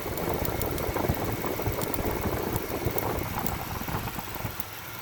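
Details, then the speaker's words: Cadillac Fleetwood after coolant system repair: loud uneven idle with irregular dull bloops and stumbles about twice a second, each bloop a misfire; owner suspects failing OptiSpark distributor. "Something is not right with this motor. There's something wrong with the OptiSpark distributor. But she's running though."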